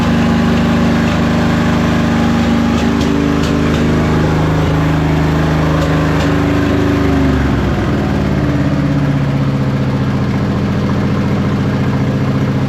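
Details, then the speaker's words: 2005 Husqvarna YTH2448 mower with a Briggs & Stratton 24hp ELS 725cc V-twin: steady drone with sharp pops and wavering pitch at full throttle, as if over-revving. Full throttle may be set too high; it idles perfectly but makes no power. "Well, you can hear it's still popping at full throttle. Almost sounds like it's over revving, like the full throttle is adjusted too high."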